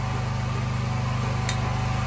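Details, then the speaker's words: Champion 4250 W (3500 W running) open-frame inverter generator running under a 250 W load: smooth, even low hum with steady pulsing, no knocks or rattles; healthy, little change with load. "not a whole lot of change there the first thing i plugged into it was kind of slow to start but after that it like it woke up or something"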